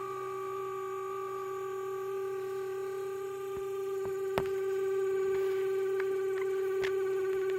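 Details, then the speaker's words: H4 LED headlight bulb with turbo cooling fan, passenger side, after about a week of use: a thin, constant hum with a faint buzz on startup that clears once warm; fan suspected, cause unconfirmed. "after about a week have started making a funny noise and then u they warm. They they come good. I don't think it affects the LED."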